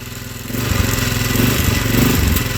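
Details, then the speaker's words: 2004 Polaris Sportsman 400 on a cold start; uneven stumbling pulses that never settle, and it stays running with a little throttle but dies with more: rough running. "oh maybe Maybe if I give it just a little bit of throttle it kind of doesn't die but as soon as I give it more it will die it's like wants to die"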